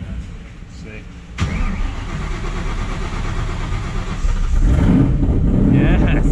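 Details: Crown Victoria Police Interceptor with a new 1200+ hp V8 on ethanol, restarted after a blow-up, too much cranking fuel suspected: brief cranking, then it catches with a sharp bang and settles into a steady, lumpy idle with 80 psi oil pressure. Healthy start.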